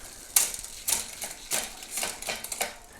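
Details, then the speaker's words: Wheeltop EDS TX wireless electronic derailleur, 10-42t 13-speed cassette, small 36 chainring, shifting through gears incl. 36x42: six crisp quick clicks about every half second, no grinding or chatter; normal derailleur shifting. "So you can see easily I can go between that one, the 36 and the 42 real easy. It shifts so easy through those gears. So let's go through the gears now that we are in the small ring."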